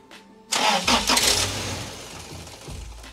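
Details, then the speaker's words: 2007 Toyota Tacoma shaking and stalling intermittently with dash lights, in about minus 20 cold, weak battery suspected: cranks, catches with a short loud burst, then sags and dies within seconds; engine stalls after starting. "ahí se apagó no tiene otra vez"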